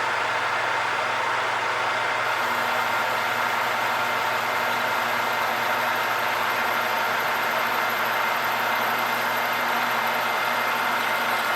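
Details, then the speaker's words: Metal lathe turning a cannon barrel ball end: thin, steady high squeal over running noise, cutting tool chatter; cure is letting the machine coast to a stop, jogging, or turning by hand slowly. "Now, if you can hear the squeal, it is chattering, and the best way to take that out is to let the machine coast to a stop."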